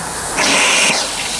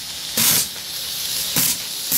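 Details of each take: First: Steam boiler at about 120–125 psi: injector sucks water from the container but discharges only to overflow/drain, not into the boiler; loud steady hiss and water rush. A second injector also failed; a replacement from England is awaited. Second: Steam engine boiler at about 120–125 psi: the pop-off (safety) valve lifts, with sharp hissing steam bursts about every second that lengthen toward full venting; normal release at set pressure.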